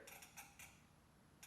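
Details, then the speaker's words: 1986 Yamaha FZ600 not run for 20 years, battery just installed, starter tested before fuel added: few faint irregular clicks and creaks from a faulty handlebar switch that needs cleaning; starter motor does spin. "this switch right here is giving me a little bit of a problem so we're going to clean that thing up you probably hear it"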